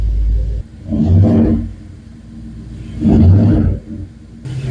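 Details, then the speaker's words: 2011 BMW 550i N63 with JB4 tune, just after PCV tube and fuel-system repairs for misfires and low high-pressure fuel pump pressure: two clean throttle blips rising and falling smoothly, no knocks; healthy but laggy throttle response. "Sounds pretty good. It doesn't like revving, eh? These have a really laggy throttle."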